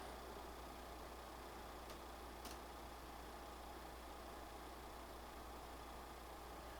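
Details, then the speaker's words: PlayStation 5 Pro fan running Cyberpunk 2077 gameplay, no Pro patch, 46–47 dB; soft steady airy whoosh over a faint hum, no rattle or whine; slightly quieter, normal under gaming load. "so this one one seems a little bit a little bit quieter it seems to be between 46 and 47 in game"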